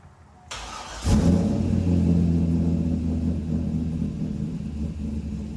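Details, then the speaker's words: C5 Corvette with BTR Stage 3 cam after revised remote HP Tuners tune, idling while warming up during data log: deep, lumpy V8 idle with cam lope; sounds much better than before, AFRs improved from 17–18; running well. "You guys can hear that it sounds a lot better than it was sounding before. And now we're getting um much better AFRs than we were before."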